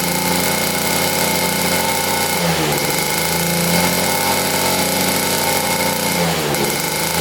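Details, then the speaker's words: Rare 1950s German two-stroke scooter, unrun for about 50 years, good compression, started by spinning the rear wheel in gear: buzzy revving, dipping briefly twice as throttle eases; pulls cleanly but won't hold an idle yet. "Well, she runs. That sounded amazing too."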